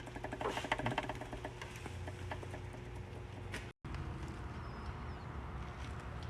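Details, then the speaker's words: 2012 Acura TL 3.7L J-series V6 with a crank position sensor circuit code: it starts with a loud, fast metallic rattle over the idle, a rod knock. The owners hoped it was the sensor, and the engine was later replaced. "the motor's rattling really bad and he has a a crank position sensor circuit code so I mean we're praying that it's the sensor or something but it's uh it doesn't sound like it"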